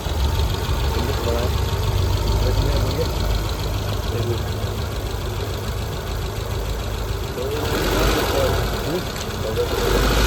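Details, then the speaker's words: Tata Zest petrol with check lamp blinking and temperature light flashing: uneven stumbling idle with a regular dropped beat, heavy hunting, no acceleration response; cylinder 4 misfire. "गाड़ी start है missing है काफी ज्यादा missing बिल्कुल accelerator है ही नहीं hunting है बहुत ज्यादा हंटिंग"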